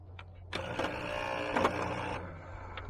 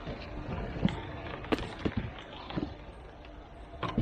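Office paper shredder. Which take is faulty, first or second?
first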